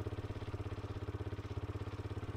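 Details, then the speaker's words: Yamaha WR125 single-cylinder motorbike warming up before oil change: steady putter about fourteen beats a second, too quick for idle; split inlet manifold boot leaking air, before new boot fitted. "I just realized this or just noticed this bike ticking over quite quickly what we've done is just looked on the carburetor well not the carburetor but the inlet manifold and the uh the boot on the inlet manifold is"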